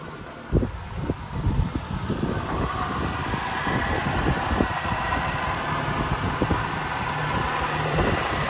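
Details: 2000 Toyota Yaris 1.3 VVT-i automatic: uneven running with irregular thumps and stumbles, hesitation/misfire; no fault codes, plugs, air filter, fuel pump and throttle position sensor replaced without fix; MAF sensor not replaced.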